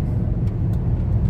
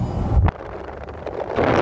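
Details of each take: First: VW Touareg V10 5.0 biturbo diesel driving after repair of a turbo intake pressure-loss fault (codes P2279/P0299, limp mode, black smoke): deep, smooth, even rumble pulling steadily with no knocks, whistles or misses; normal running. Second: VW Touareg V10 5L biturbo in limp mode with engine light, codes P2279/P0299: loud breathy whoosh swells about 1.5 s as revs climb then fades, with juddering and thick black smoke under acceleration; boost leak on the turbo air intake.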